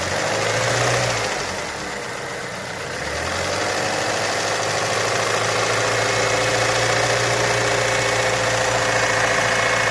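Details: Ford Mondeo Mk4 2.3 engine at idle: a fairly even tapping about three or four times a second over the engine hum. It is an idle knock whose source is not confirmed.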